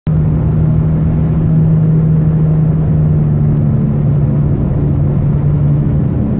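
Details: 2005 Chevrolet Aveo above a certain speed: a loud, steady, deep drone while coasting off the gas that goes away when accelerating; source not yet found.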